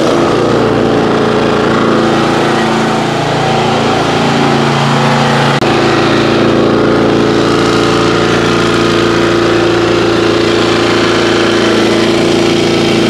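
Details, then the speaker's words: Kawasaki-powered lawn care machine, stored 5 months on ethanol-free fuel without stabilizer, about 30°F, after choke warm-up: steady, even single-cylinder low idle with no misses, no sputter once past a brief stumble at start, slight smoke; normal idle. "there's low idle sounds like it's running good not spluttering or anything"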